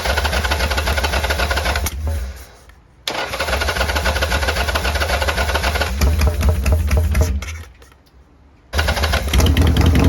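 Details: 1990 Harley-Davidson Sportster 883 restoration project, first start with no breather fitted: uneven, lumpy V-twin beat stumbling and nearly dying twice; runs rough.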